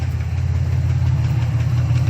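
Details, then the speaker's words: Chevrolet Malibu needing a muffler, crank sensor previously replaced: low, heavy idle with uneven lumpy pulse and dips, stumbling as if about to shut down but still running; rough idle, cause unknown. "Sounds like she's tripping up, wanting to shut down. Still running though. A minute ago she stumbled."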